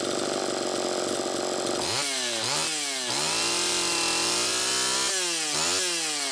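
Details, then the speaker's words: Homelite Super EZ two-stroke chainsaw after resetting the high-speed needle from about four turns out to one turn: revs surge and drop repeatedly, hunting unevenly; running lean, carburetor faulty and crankshaft seal suspected bad. "okay it's easy to be deceived into thinking that it was good to go there that's part of why i ran it a little extra time that carburetor had a problem but i also believe that the crankshaft seal is bad"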